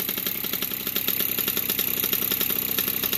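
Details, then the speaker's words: 1981 Yamaha YZ60H two-stroke rescued from the dump, carb cleaned of dirt and spider webs, started with fuel down the carb: fast even popping idle with crisp rasp, no misses or knocks, some oil through exhaust; normal idle. "Well, it runs nicely. I just have to put a bit of fuel down the carby to start it. Otherwise it starts, it idles nicely and just let it run for a while and clear out all the spider eggs."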